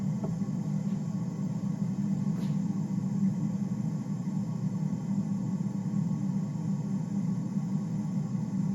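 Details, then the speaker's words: Galaxian arcade cabinet at power-up after restoration, with the monitor chassis refitted, the neck-board ground wire fixed and the arced resistor replaced. A steady low hiss and hum drones from the speaker. Owner suspects the edge connector; cause not confirmed. "a static noise now for some reason. I don't know why it's doing that."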